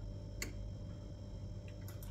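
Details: Karaca Coffee Art 1101 espresso machine heating up after pressing the steam button: a few crisp isolated clicks over a low steady hum; normal relay ticking during warm-up.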